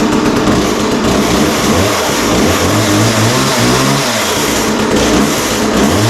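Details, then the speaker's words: McCulloch Mac Cat 18 two-stroke chainsaw, first start during start-on-spray test before fuel and oil line repair: loud busy buzz that climbs and drops smoothly with throttle, no stumbling; started right up and sounds really good. "Wow. Well, that sounds really good. That started right up and sounds really good."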